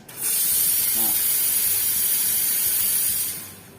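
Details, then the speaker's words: Promac Club Me single-group espresso machine, newly installed, test after boiler reached pressure 1 and clicked ready: strong steady steam wand hiss starting cleanly, holding about three seconds then tapering; normal discharge. "Nah, ketika digunakan steam atau digunakan air panas, ya otomatis nanti perlahan akan turun. Tapi secara otomatis juga dia akan mengisi air, lalu bisa kembali stabil lagi."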